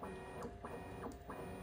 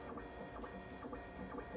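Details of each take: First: Bambu Lab P1S/P1P 3D printer, bed moving up and down: motor hum with repeating chirpy squeaks at certain Z heights, linked to the Z-axis belts under the printer; lubrication fixed it. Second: Bambu Lab P1S 3D printer after lubricating the Z-axis belts underneath: the bed steps through its travel with soft, even motor whirs and faint clicks. The earlier squeak at certain Z heights is gone.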